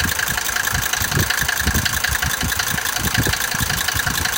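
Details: Mercedes 190D 2.5 l diesel idling with uneven low thumps, about two to three a second, under the usual clatter. Abnormal engine noise at idle, cause not identified.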